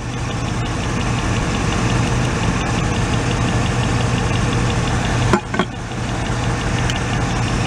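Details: 1986 Oldsmobile Cutlass Supreme, revived after sitting five years, idling while each plug wire is grounded with a test light: uneven lumpy idle with irregular stumble; grounding number three makes no difference, so that cylinder is the suspect.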